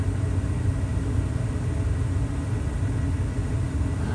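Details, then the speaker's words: Carrier 58CVA110-20 natural gas furnace after inducer motor rebuild (motor HC21ZE127, new wheel, gasket, seal): steady deep hum under load, previous house-filling whine gone. "great no more whining"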